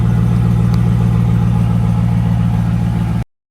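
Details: 2002 Chevrolet Camaro Z/28 35th Anniversary, 5.7L LS1 V8 325 hp, automatic, 18,000 original miles: deep lumpy V8 burble at steady idle, no tapping or misses, then cuts off cleanly; normal healthy idle.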